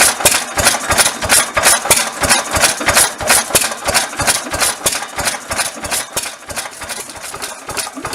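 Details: 1922 Bentall Pioneer 3-4hp single-cylinder engine from Maldon, UK, running after a rebuild. Crisp, even exhaust beats at about three per second with a sharp valve tick and no misses; runs sweetly.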